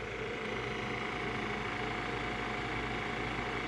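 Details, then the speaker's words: Keurig K-Café milk frother running normally while the foam rises to the top before the two finishing beeps: constant, even, mid-pitched whirring hum with no grinding or rattle. "can see the phone rising up to the top I'm listen for the two beeps and that will tell us that it is done"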